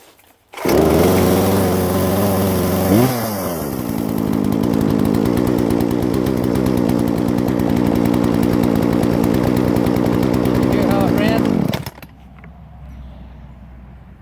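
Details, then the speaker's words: Chainsaw started properly without flooding, just above freezing (about 35°F), runs a higher idle until the throttle is hit; steady fairly high buzzing idle, no stumbles or surging, shuts off cleanly; normal running. "this chainsaw until you hit the accelerator it will actually run High a higher idle this is a very well-made machine"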